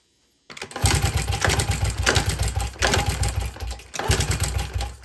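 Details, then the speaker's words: 2000 Honda XR70 single, smoky and running very rich, kicked over at full throttle with choke off during a compression test: soft uneven puffing, weak resistance, no firing; only 50 psi, low compression. "it's looking like I'm only hitting 50. not too good let's try it again here we're topping off at 50."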